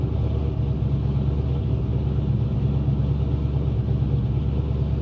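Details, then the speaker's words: Pontiac GTO after spark plug wires checked and throttle body adjuster screw cracked open: steady, even drone with no misses, idle a bit high around 1000 rpm; seems balanced, no check engine light. "seems to be balanced out my check engine light's not on it's a little high revving for a th000"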